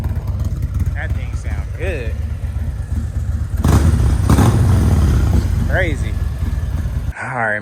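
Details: 2018 Harley-Davidson Road Glide Special (Copart salvage), restarted on a weak battery awaiting replacement: deep loping V-twin rumble with throttle blips, uneven but strong rhythm; normal healthy exhaust note, no knocks or rattles.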